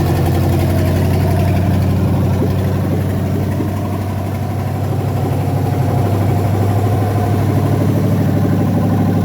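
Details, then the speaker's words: 5.7 OMC V8 long block started on the floor before installation, after a slight flood: deep steady rumble at about 1500 rpm with no knocks, ticks or misses, healthy; a little smoke burning off, possibly oil. "that sounds like you're revving the hell out of it man that's five 1500 are okay"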